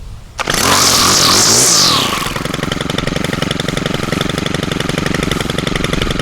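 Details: Stihl trimmer started with choke after its spark arrestor screen was cleaned of carbon with a propane torch: brief pull-start rush, then a quick, steady high-pitched two-stroke buzz at an even idle; running normally.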